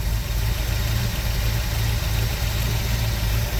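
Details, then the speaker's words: New V8 engine making no power: loud, lumpy low idle that wavers with no steady beat; rough idle from incorrect fuel pressure, before loosening the regulator adjustment to bring pressure down. "All right, sounds like garbage. We'll do the regulator thing here quick."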